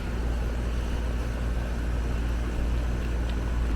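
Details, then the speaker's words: Apartment AC condenser after an HVAC tech corrected a botched condenser fan motor install, amp draw close to spec: low, steady hum with even fan whoosh, no rattles or pulsing; running normally. "I think I think it should be okay we're not that far off of our amp draw"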